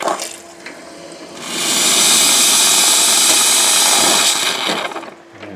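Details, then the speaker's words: Grindmaster two-group espresso machine after rebuild with replaced clogged parts and a fixed pressure gauge: a strong, steady hiss of steam from the wand that holds for a few seconds, with good steam and hot water. "pressure gauge was non-functional and as you can see it is working fine right now we have a good steam we have good hot water"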